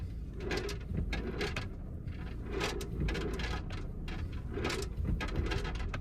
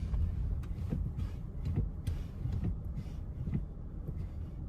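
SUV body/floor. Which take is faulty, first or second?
first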